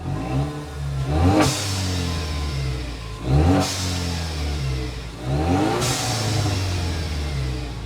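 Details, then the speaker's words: 2016 Ford Mustang EcoBoost, 90,000 miles, slightly warmed up, revved with the mic removed to hear exhaust and turbo: three sharp revs with a loud, raw, deep roar. Exhaust pipes are missing. "so we seem to be missing exhaust pipes what yeah don't want to breathe that"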